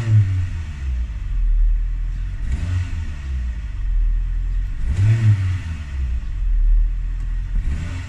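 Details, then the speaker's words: Renault Twingo after cleaning the MAP sensor: idle, then throttle blips where revs lag and judder briefly before rising. Slight hesitation remains but is far less than before, when it stalled on acceleration. Cause not confirmed. "There is still a slight hesitation there, but it was stalling before. This might have fixed it. There's still there's definitely a little judder there still, but it is nowhere near as bad."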